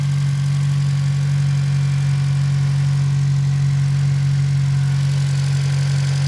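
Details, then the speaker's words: 8th-gen Civic Si (FA5) K20 on first startup after fuel rail install and idle air assist delete, no engine lights, no fuel smell or leaks: steady idle hum with light quick tick about four per second; owner unsure whether the ticking is bad. "I did notice the car is starting to take a little bit more like that ticking sound you guys since here I don't know if that's a bad thing or if it's a good thing but so far so good"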